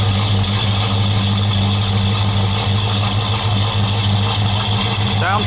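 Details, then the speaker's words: Oldsmobile Cutlass with swapped V8 idling smoothly with a steady deep hum, no knocks, ticks or misses; oil pressure around 50 psi at idle; some belt slippage squeal on throttle remains. "good oil pressure center on 50 pounds an idol"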